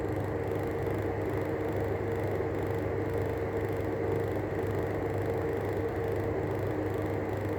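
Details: Arlec 200mm exhaust fan: steady low hum with a rough, scratchy rumble from worn bearings; worn fan bearing noise.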